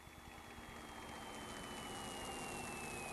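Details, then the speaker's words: P-51 Mustang V-12 during a minimum idle check, warm with temperatures normal, oil pressure about 125: a low, slightly uneven idle with a few soft pops. The pops are normal, and it idles at 700 within the 600–700 target. "You can hear a little popping, that's going to be totally normal. It should idle between 6 and 7, there's 7."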